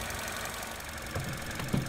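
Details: 2014 Vauxhall Corsa E 1.4 after a new coil pack and spark plugs fixed its misfire and jerking: steady, even idle with a smooth low rumble and no skipping or clicking; normal idle.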